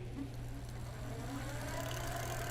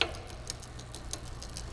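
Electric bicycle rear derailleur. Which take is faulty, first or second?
second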